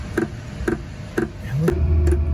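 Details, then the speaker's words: Diesel air heater in an MCI bus RV conversion starting up after priming, some air bubbles still in the fuel line: sharp even ticks about twice a second with the burner firing underneath; fuel dosing pump pulsing normally. "you can definitely hear that you can hear that pump just clicking away"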